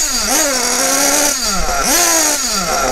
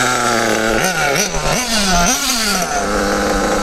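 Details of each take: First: Kyosho Bug TT8 RB One nitro RC buggy with RB engine, warmed up before tuning: pitch swoops up lazily on each blip then sags, slow and blubbery to rev and smoking. Mixture set too rich; richness is adjusted first. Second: Kyosho RB One (Bug TT8) nitro RC buggy with RB engine, static tuning after reopening the needle from a lean cutout. The small engine revs up and drops back cleanly without cutting, so the mixture is properly set before driving.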